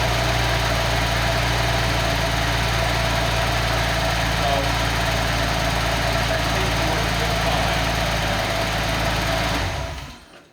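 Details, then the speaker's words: Turbo six engine on a test stand running on the existing ECU to confirm the setup works: smooth steady idle with an even low rumble and no knocks, then clean shutoff; normal idle. "we will start make sure everything's working with the test set up"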